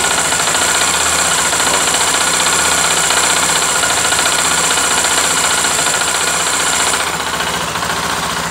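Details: Honda XRE 300, 2018, 7,229 km, single cylinder idling: fast light metallic ticking knock over busy top end, owner says like a rod knock but much quieter; engine knocking noise, source unknown.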